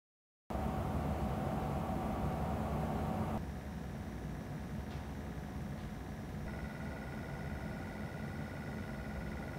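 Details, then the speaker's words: Nanlite Forza 500 LED light at full output, recorded about 50 cm away for a fan-noise comparison with the Forza 720: soft, steady airy hiss with a faint hum and no rattle or whine; normal cooling fan noise. "팬 소음이 얼마나 줄었는지 비교해 보겠습니다 먼저 포르자 500에 풀 광양 팬 소음 입니다"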